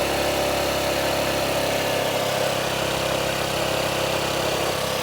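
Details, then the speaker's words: Honda Ruckus single-cylinder scooter just started after new fuel pump install, likely not yet warm; steady but fast busy raspy idle; idle set too high, likely adjusted up to compensate for the old bad pump. "So it sounds like the idle's a little bit high. Maybe it needs to warm up a little bit."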